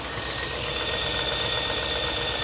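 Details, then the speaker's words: 1996 Land Rover Discovery, Buick-derived V8, 139,000 miles, just started: steady idle with no valve clatter but a faint, even light tick or knock; the tick later went away, possibly oil pressure related. "Yeah, I mean I think there may be a little bit of a tick or a knock, but that's not uncommon."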